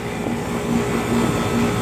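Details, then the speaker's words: 2012 Trane XB300 2.5-ton heat pump (model 2TTM3030A1000AA) running: steady fan and compressor drone with a buzzy, recurring rattle roughly every half second; something loose vibrating, source unknown. "Sort of rattling. That sound is not good."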